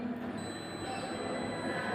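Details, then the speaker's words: Digital multimeter in continuity mode, probes on both ends of a short wire piece: thin, steady high-pitched beep over faint room noise, showing the wire is unbroken and continuity is fine. "ये जो हमारी wire है इसकी continuity proper बिल्कुल से एकदम ठीक है।"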